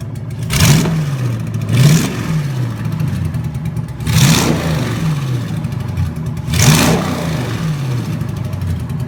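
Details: Junkyard 2009 5.7 Hemi V8, about 80,000 miles, with Hotwire harness and 09 Challenger PCM, on a run stand with fans running: throttle blipped about every two seconds, rising cleanly and settling back to even idle, no knocks or misses. Normal running.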